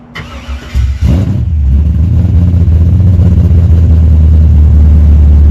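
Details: Wagon LS-swapped with a 6.0 V8, Texas Speed cam and 4L85 transmission: quick crank, catches and flares, then drops into a smooth, steady burble with no ticks or misses; healthy start and idle.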